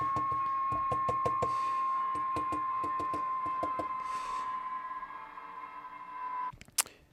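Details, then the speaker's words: 1946 GE Model 100 AA5 tube radio during recapping: steady high-pitched howl around 1 kHz with ticking, tone slowly shifting as something heats up; audio howl suspected from another bad capacitor, possibly in the audio/detector section. "nope it's got another bad cap somewhere that's causing that thought maybe that was it but listen to that thing howl all right and it's getting it's changing tone which that's because the something's heating up somewhere"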